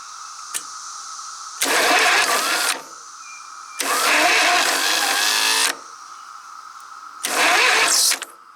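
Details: Woods 6180 zero-turn mower, 18 hp Briggs Vanguard, starter reported going bad, refitted starter tested: three short bursts of brisk, even cranking; starter engages and spins the engine freely.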